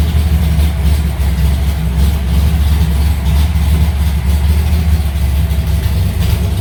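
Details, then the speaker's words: Alumacobra started after two months sitting, fired right up, in garage; deep steady idle with even low rumble, no ticks or misses; normal idle. "Sounds good. It just gets really stinky here in the garage with the car inside."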